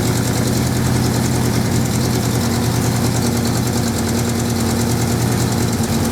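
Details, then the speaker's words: 1979 Suzuki GS550E four-cylinder just started after about five years laid up, on old fuel: fairly steady idle with occasional uneven exhaust pops; carbs not blocked as feared, but running slightly rough and due a tune-up. "It is slightly popping a little bit, and it could probably do with a bit of tune-up."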